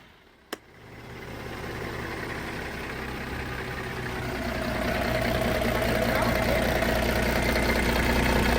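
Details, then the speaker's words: Diesel forklift, engine rebuilt after seizing, started after cleaning a clogged inlet on the high-pressure fuel pump: a click, then it catches and settles into an even idle with no misses or knocks. Normal diesel idle. "So now that we got the motor running great, now we have a couple more things to do."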